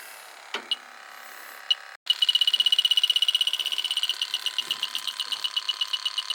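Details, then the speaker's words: AC system with a leaking coil, leak detector held at the outdoor unit. High-pitched beeps speed up to about four per second. A few hits on the condensing unit, but the alarm is much stronger up at the coil, showing a definite refrigerant leak. "this sense is the refrigerant leak you know definitely got a leak up here not good"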